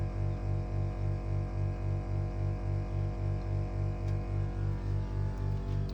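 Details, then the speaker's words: Mitsubishi heat pump outdoor unit idling for 7 minutes after a 5-minute defrost (12-minute cycle): a loud low hum pulses about four times a second. It seems excessively noisy, suspected to exceed the 40 dBA guarantee point. "As you can hear, it's very noisy during this period. I don't have a decibel meter, but I suspect that this doesn't meet the guarantee point of 40 dBAs."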